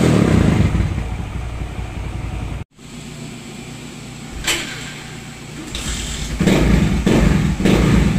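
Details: Raider J110 that would not start, after repairing two broken wires and restoring stock rectifier wiring and terminal: engine fires cleanly and revs up and down with a crisp even exhaust note; running normally.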